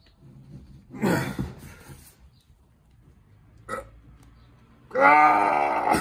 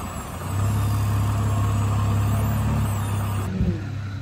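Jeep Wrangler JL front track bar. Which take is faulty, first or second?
first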